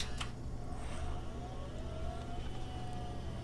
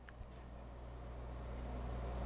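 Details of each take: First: Under a low fan rumble, a thin whine climbs in pitch then holds steady as the Osicom OfficeMate 286's newly attached hard drive spins up. Lots of drive noise; whether it's good or bad is unknown. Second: Quiet low hum builds steadily as the small fan spins up, smooth with no scraping. This is the Osicom OfficeMate 286 power supply run unconnected to anything; the fan is on and the supply is assumed good.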